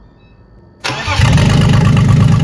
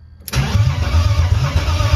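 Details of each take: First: BMW E30 330i on its first start after swapped fuel hoses were corrected and air was in the fuel circuit: it cranks and fires cleanly, then settles to a steady, even idle with slight blips. Normal idle. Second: BMW E30 330i on its first start: starter engages but turns the engine over slowly in heavy, uneven lumps without firing, seeming not to spin properly; sluggish cranking, before fuel pressure came up.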